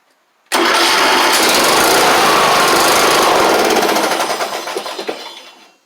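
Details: John Deere LA100 mower single-cylinder, hard-starting from valves out of spec, after sitting about four years with water in tank, fresh gas added: catches at once, runs with a steady popping beat, then winds down; starts and runs.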